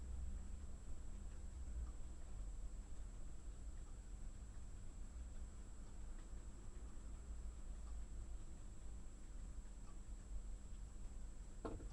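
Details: Refrigerator recorded 31 Aug 2016: quiet steady hum with intermittent sharp knocks (three knocks noted at about 0:08, 0:31 and 1:21) of no clear cause; refrigerator knocking noise.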